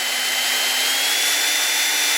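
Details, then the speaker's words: Valve being lapped with grinding compound, spun slowly by a drill through a hose, on a 2004 Hyundai Sonata cylinder head after a broken timing belt bent the valves. A steady gritty rasp with faint drill whine shows the compound cutting. "You don't have to go real fast because you want to hear it cut. Kind of hear it grinding and"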